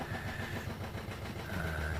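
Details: Barn-find 1971 Triumph Stag Mk1 3.0 V8 manual, sitting for many years, engine free with water and oil in it: the starter spins the engine in a steady, labored churn but it never fires. Cranks but no start.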